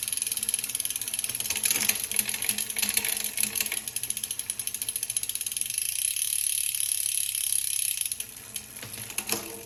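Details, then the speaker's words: Cannondale CAADX gravel bike after install of Hollowgram wheels, custom XD-R freehub, 10-42t SRAM GX 11-speed cassette with 48/31 GRX crankset and Kogel pulley wheels, run through gears: crisp fast freehub ticking, light chain chatter, no grinding or skipping; normal shifting. "so I'm going to just kind of run through the gears and show you guys that a 10 to 42 is meant to go with this 48 /31"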